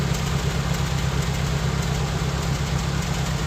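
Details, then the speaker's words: Toyota Corolla Twincam liftback gen 2, heard at the tailpipe at idle: even deep burble, steady pulses, no skips or popping, sound concentrated at the rear; engine healthy. "bener-bener di belakang Ya maksudnya gini teman-teman mesin yang waras itu suaranya itu jadi satu di belakang"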